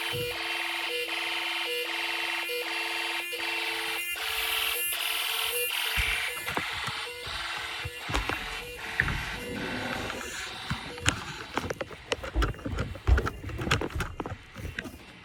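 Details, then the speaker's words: Snap Circuits DIY fire alarm system test, zone 2 activated: loud steady pulsing electronic tone, heard fading as the recorder walks across the house toward the annunciator; the sounder is insanely loud and works normally. "Well, that's insanely loud. I'm like across the house, dude."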